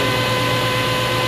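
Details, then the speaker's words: 1990s Delta table saw on a homemade low-cost mobile base, standard V-belt, nickel test: steady, even motor hum and constant whir, no knocks, wobble or vibration; normal smooth running. "Talk about how smooth things run, and they place a nickel on it and it doesn't fall over."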